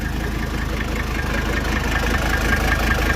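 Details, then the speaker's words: Mercedes OM617 diesel running waste motor oil, injectors 300,000 miles overdue, clatters unevenly at idle with lumpy beat and faint knock; rough running, likely from worn injectors, needing ether to start. "What in the hell is going on with this thing?"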